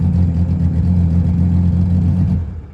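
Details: Sea-Doo GTX 260 after IBR rewiring redone, key reinstalled, tested in forward: deep smooth steady drone with no knocks or misses, easing off at the end; IBR now working, normal engine running.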